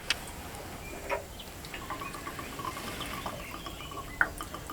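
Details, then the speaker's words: Pump shed pressure tank full of water, pump constantly cycling: pressure drained to zero, irregular gurgles and drips as water drains slowly through a small orifice with no air coming in. "right so you can hear the gurgling that simply because it's trying to drain out through a small orifice with no air coming in"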